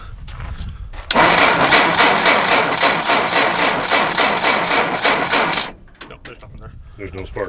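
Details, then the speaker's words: 1960 Jeep CJ, first start attempt in years: starter churns the engine evenly, about four turns a second, for several seconds without firing. Spark check shows no spark; dirty, rusty ignition points suspected. "this will tell you if you got any spark anyway no there's nobody home there"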